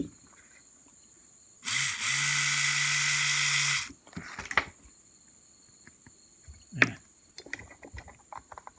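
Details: Mercedes-Benz W126 S-Class passenger-side power mirror, bench test after disassembling and repairing its gear motors: smooth, even whir with steady low hum for about two seconds, stopping cleanly; the repaired mirror motor sounds healthy.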